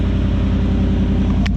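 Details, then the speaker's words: Ford F-150 just after a cold start, pulling away: loud, raw, deep unmuffled rumble because the muffler and tailpipe slid off the exhaust pipe, so exhaust likely dumps beneath the cab. "Not gonna lie, it's a little loud, but that's probably because it's dumping underneath the cab."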